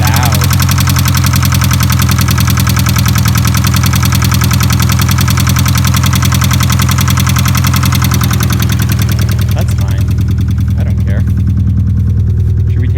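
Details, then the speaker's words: 1989 Ford Probe GT parts car started: loud steady idle with a hard knock ticking about three times a second over the rumble; internal engine knock, cause unknown. "it even sounds good it's got a wicked knock what's going on there buddy"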